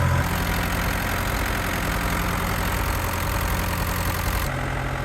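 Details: Tractor diesel just after catching, following a dead battery and a troublesome fuel-system bleed where fuel wouldn't pass the fuel pump: steady, even low chug with no knocks or misses; normal clean idle.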